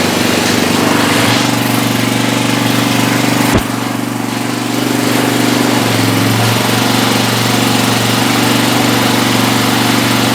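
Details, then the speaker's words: 1970s Hahn Eclipse BHT-120 tiller with a 3.5 hp flathead Briggs & Stratton engine, long neglected, now on fresh gas after carburetor cleaning and air-fuel mixture adjustment. It runs at a steady, even beat of about four per second with one brief click; normal running. "Nice. All right, so it just seemed like we needed the absolute perfect air-fuel mixture, which is going to be weird because as the temperature fluctuates, that's also going to need to be adjusted. Either way, we got it running, so that's awesome."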